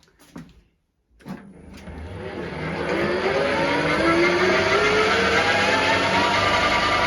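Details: Centec 2B milling machine three-phase motor after refurbishment, rebalancing and new vertical-head and spindle belts: rising hum that settles to a smooth, steady note with no grinding, clicking or clattering; motor runs rock solid.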